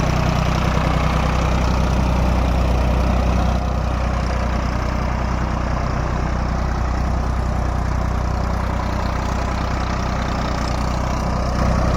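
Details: Tractor diesel engine after diesel pump repair and setting: even, steady clatter with deep regular beat, no misses or uneven puffs; sound right and taking load properly.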